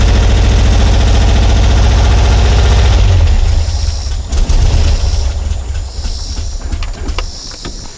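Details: Porsche 912 with Dellorto DRLA carburettors, recurring problem on every start: just after start the engine chuffs and stumbles in uneven low pulses, then falters and fades; clogged carburettor idle jet, usually cured by cleaning the idle jets.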